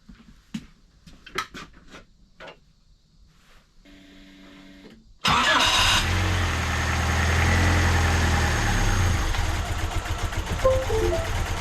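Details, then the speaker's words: Turbo D16 Honda Civic, first start after installing and degreeing a Speed Factory Savage cam and cam gear: quiet clicks, then a quick crank catching into a smooth, steady fast idle with no ticking or knocking, sounding healthy. "all right got some pressure who coil in all right let's see if it starts"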